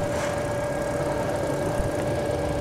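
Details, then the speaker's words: 2019–2020 GAC GN8 that used to stall within a minute of starting, now warming up after new spark plugs. A quiet, even idle with a faint steady whine and no stumbling or shake means it is running smoothly. "hintayin nating uminit pero okay na yan Kasi nga ano dati pag pinaandar mo wala pang isang minuto Ano na eh pumapalag na yung"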